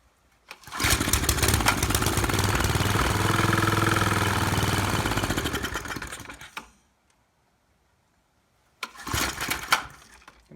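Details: Maxim mini tiller found at the dump, running on gas poured down the carburetor. Catches, runs unevenly about six seconds, fades and dies, then coughs again; owner suspects fuel starvation needing a carb rebuild. Running rough and stalling.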